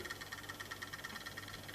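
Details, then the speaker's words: Brand-new EFE/Kernow CC1 Booster model loco on first run: lumpy and creaky in one direction, with quick even clockwork-like ticking about six per second over a soft motor whir; smooth in the other direction. Clicking traced to a loose worm gear retainer. "A little bit lumpy. A little bit creaky. Ooh. So it does run, but there's a noise I'm not happy with going in this direction."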